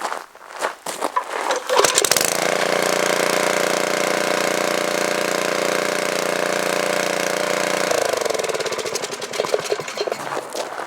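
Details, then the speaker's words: Small single-cylinder tiller engine, just revived after compressed air cleared debris from the carburetor, run with the air filter still off, catches and settles into a steady, even putter at fast idle, then winds down; running normally. "There we go. I don't have the air filter, so I'm going to install that next, but just to show you, it's running really good now."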